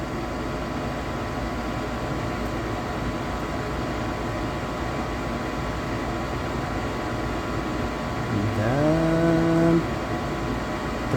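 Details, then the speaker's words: 90% gas furnace that kept cycling on and off, where the flame sensor had no power and the light indicated clogged vents; after the fix the control board kicks in, the sensor signals, and the blower spins up with a climbing tone. Normal ignition sequence. "I can hear the uh control board kicks and sensor send signal I'm ready blower start soon spinning yeah it's good"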